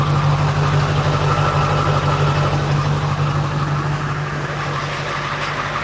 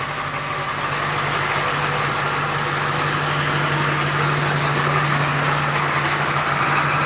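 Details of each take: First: 2001 Ford F250 7.3L diesel, slow-cranking start with glow plugs, battery 12.8 V: steady, even diesel idle clatter over a low hum, healthy; a bad AC compressor pulley rattle is also present. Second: 2001 Ford F-250 7.3L diesel started after sitting: steady idle with a light, even rattle about four times a second over the clatter. The AC compressor pulley is noted as bad; the rattle's source is unconfirmed.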